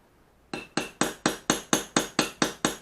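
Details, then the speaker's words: Japanese plane back blade during ura-dashi, supported on a pig-nose block under its hollow back: ten even hammer taps about twice a second, each a short clean clink dying quickly — correct, safe striking that won't crack the blade. "아 돼지 코에 가 되고 치면 이 소리가 납니다"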